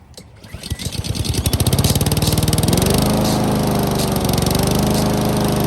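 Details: Honda lawn mower rescued from the dump: after the stretched throttle cable that kept the choke from working was fixed, a choked pull catches within a second and holds an even, steady single-cylinder beat; starting and running normally.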